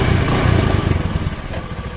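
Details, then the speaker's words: Honda Beat carbureted scooter that sputtered and stalled, after replacing the faulty kiprok (regulator/rectifier), found to be the cause: engine pulls cleanly through a brief rev with a strong steady exhaust beat, no misfire or stumble; normal acceleration. "Cepatlah lidah tarikannya enak kayaknya enak habis"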